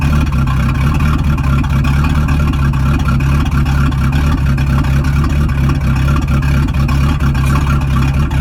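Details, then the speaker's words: Boat sterndrive engine at startup, its first start in three weeks: a deep, steady V8 burble with slight throttle variation and no knocks, grinding or misfire; runs smoothly. "all right guys you just saw the uh video of it running so that's always a positive it's the first time it's been started in three weeks"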